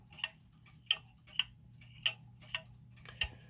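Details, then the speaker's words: German time/strike wall clock with pendulum fitted before crutch adjustment: uneven limping tick-tock, long gap then short, about 52 beats a minute; out of beat. "so it's still a little off when we put the pendulum on"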